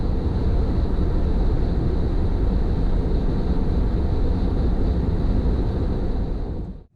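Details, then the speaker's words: Tesla cruising at 78 mph on the highway while checking for a returning squeak, earlier heard at the front driver's side tire: steady low road and tyre roar with no chirp or squeak; normal cruising, front end quiet. "No noise yet. I'm going 78. I'm going 78 miles an hour, no noise."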